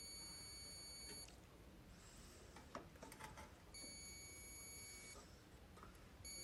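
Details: Whirlpool microwave not heating, magnetron suspected: clear high steady meter beeps in two long pulses about a second apart during diode test; per the repairer, a beep from the capacitor end to ground means a bad diode.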